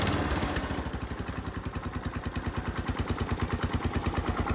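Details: Massey Ferguson 16 garden tractor, just fitted with a replacement aftermarket ignition, throttle set to full: slow steady chugging about three beats a second, never picking up; owner suspects throttle cable adjustment, full sounds like mid-throttle.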